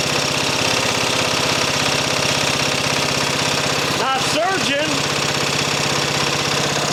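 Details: Mower engine after an engine swap, just fired up and idle being adjusted: steady, even single-cylinder beat with no hunting or surging, brief voice over it; running healthy.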